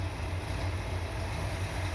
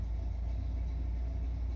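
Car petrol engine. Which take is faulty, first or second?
second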